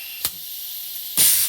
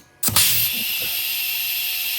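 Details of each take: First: Old, high-use Checkpoint 1250 chemical injection pump after rebuild, run on air/gas: sharp hissing exhaust bursts with faint steady leak hiss between; some gas slipping past it. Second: Rebuilt Checkpoint 1250 chemical injection barrel pump run on air/gas after teardown and reassembly: sharp exhaust bursts at irregular intervals over steady hiss, clean strokes, no clatter; pump cycling properly.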